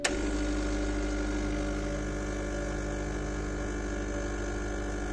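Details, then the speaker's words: 2010 Gaggia Classic espresso pump, pushing against a portafilter pressure gauge while not fully warmed up: steady buzzing hum holding pitch, reaching about 15 bar despite an apparent leak; pump running at high pressure. "some reason this is a leaky it's i've got a leaky gasket but we're still hitting 15 bars"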